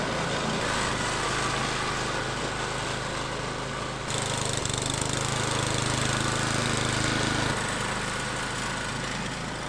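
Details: Troy-Bilt/MTD snowblower with Tecumseh engine after cleaning a gunked-up carburetor and dirty gas tank: small engine runs with an even, steady drone and only a slight pitch shift; smooth, healthy normal running.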